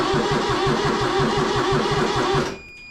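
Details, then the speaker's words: Kubota diesel tractor saved from the scrapyard, after cleaning corroded terminals and more glow-plug heat: rough, lumpy chugging about three beats a second, then it dies abruptly. The owner says it is as if it suddenly stopped getting fuel; cause unconfirmed. "It's like all of a sudden it stopped getting fuel. What's Like, what's up with that?"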